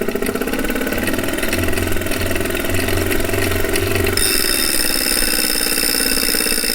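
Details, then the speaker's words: Refurbished replacement 2018 Wahoo Kickr trainer, microphone by the flywheel: loud steady whirring drone with hiss as the flywheel spins; not vibrating or shaking the bike, so probably not unbalanced, but far louder than normal; cause unclear. "that's actually not how it's supposed to sound it isn't supposed to make much noise"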